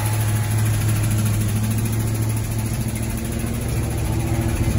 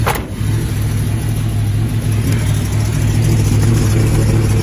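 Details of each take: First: 1978 Plymouth Volare Super Coupe, first cold start after years of sitting, fuel from a bottle into carburetor: cold, slightly lumpy idle with light quick ticking over low rumble; lifter tick expected to fade when warm. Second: 1978 Plymouth Volare Super Coupe restarted after years sitting, carburetor sunken float freed by banging: catches and settles into steady, even low idle with no knocks, misses or stumbles; runs beautifully. Normal idle.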